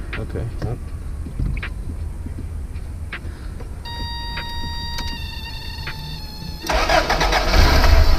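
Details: Van starting after a water pump replacement, beginning the coolant flush to purge air bubbles and avoid overheating. A chime, then cranking and catching into a steady, even idle with no knocks or squeals; healthy.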